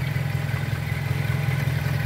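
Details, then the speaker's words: Pointer 1.8 with the terminals for a missing part bridged by a jumper wire: low, steady idle drone with no dips or shaking. The idle has stabilized and the shaking is gone. "¿Ya vieron, amigos? Ya se le quitó esa tembladera. Dejen ponerle bien. Hay mejora bastante, hasta se oye el motor cómo se estabiliza."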